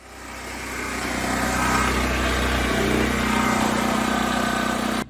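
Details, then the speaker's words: Generator hooked up to start a septic effluent pump, testing whether the sand mound still takes effluent; generator runs steadily, then near three seconds its note shifts and a new hum joins as the pump kicks in, a normal load pickup confirming the pump turns on. "can definitely hear the change in the generator for the startup of the pump, so I know it's turning on."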